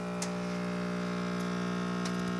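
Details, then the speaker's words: Electrolux washing machine that makes noise but won't spin. A constant low electrical hum with nothing turning: the motor is stalled because a lead on its grey start capacitor is loose and melted. "lá pessoal onde está o capacitor esta peça cinza preso com a braçadeira de lata aí o capacitor veja que no final dele tem um fio solto um fio derretido que é o fio importante"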